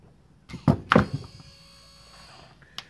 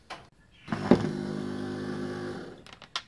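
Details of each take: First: XC Fairmont GXL driver's power window motor with new rollers, bench-tested after a couple of handling thunks; faint steady hum for about a second with no grinding, motor healthy and quiet. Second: Power window motor from an XC Ford Fairmont restoration, run on the bench; about 1.5 seconds of rough buzzing whir, noisiest of the set, owner suspects dry bearings and plans to disassemble it.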